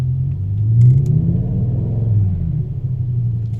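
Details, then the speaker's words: BMW M5 V10 running rough on restart after idle actuator replacement: a deep, uneven idle that lurches and sags with vibration, a cylinder 9 misfire suspected from the ignition coil, which was swapped from 8 to 9 to test. "Definitely feels a little vibration. Ran the codes and got a cylinder 9 misfire."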